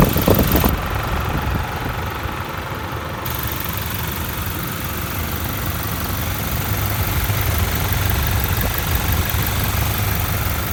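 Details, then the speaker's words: Toyota 1GD diesel, recently serviced and clean: steady, even idle with a smooth low clatter and no knocks or misses; a normal, quiet, healthy engine. "that's what a 1gd seems like for 20000 pays on it it's just been serviced it's clean that's one it pretty quiet"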